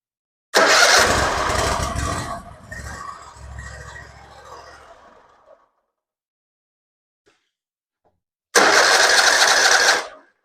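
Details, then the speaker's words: Hustler zero-turn mower after the starter solenoid was replaced with an identical new one, started on the key: brief crank, catches at once and runs evenly, stops, then restarts just as cleanly. Starting fixed; a large oil leak still remains. "it works okay we fixed the starting problem starts and runs now"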